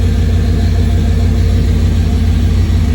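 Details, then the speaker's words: 33-year-old 1991 GMC truck, hot after test drive following fuel filter change, recorded underneath at exhaust: deep steady V8 idle rumble, no ticks, knocks or leaks; owner suspects rust in original tank. "Right. Look at this exhaust. I think it sounds pretty good to me."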